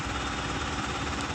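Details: Mahindra Supro BS6 diesel idling steadily after a no-start fix: a faulty six-month-old replacement motor was swapped back for the original and codes moved to history. Smooth low rumble, no knocks or misses, check light gone; normal idle.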